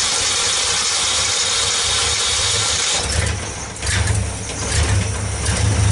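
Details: 1964 Ford Econoline van with a 170ci six and points ignition, previously crank-no-start. With the coil resistor bypassed and 12 volts fed straight to the coil, after a hissy start it settles into a low, steady rumble with slight unevenness.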